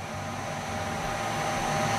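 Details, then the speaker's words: Goodman GMS90904CXA gas furnace on a heat call after a blower motor replacement: the burner lights after the igniter glows, and a steady, even burner rush builds over the inducer hum with no rumble or popping. Normal ignition. "Within a few seconds, we're going to hear the gas valve click and we're going to see uh flame pattern spread."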